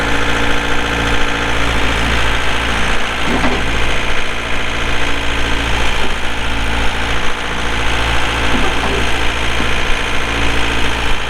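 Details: 2006 John Deere 4320 tractor, pre-emissions 48HP Yanmar diesel, 1,655 hours; steady, even clatter with deep low rumble and no misses or odd knocks; normal diesel idle.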